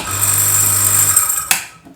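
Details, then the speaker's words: Tullu water pump motor that hummed but wouldn't spin, after capacitor check/replacement; steady low motor hum with high whirr, runs evenly then switches off. Normal running. "पानी motor यूं है चालू हो गई"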